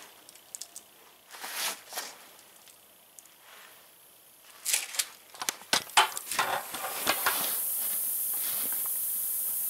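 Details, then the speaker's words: Tire leaking air at the bead: sharp spurts of hissing settling into a steady high hiss where the bead meets the rim, before applying sealant. "they hissing right out of the beat so this product will work perfect in this tire"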